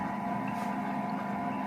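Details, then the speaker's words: Lakshmi wet grinder that made noise and wouldn't run, now fully reassembled with the drum fitted after repair: a steady, even motor hum with a constant drum tone and no knocking or rubbing. It runs smoothly and the earlier noise is gone. "பாருங்க ஸ்மூத்தா ஓட ஆரம்பிச்சிருச்சு அந்த sound எதுவும் இல்லை"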